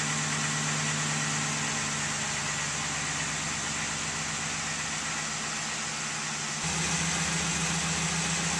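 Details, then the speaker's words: 2002 Ford F150 5.4L 2V V8 cold winter start after timing chain, oil pump and exhaust gasket replacement: steady rattly clatter over exhaust at idle, no single knock; owner suspects piston slap, source unconfirmed. "there's only one thing left that's making this racket and that's piston slap i've heard that a lot of 5.4 two valve engines have piston slap problems"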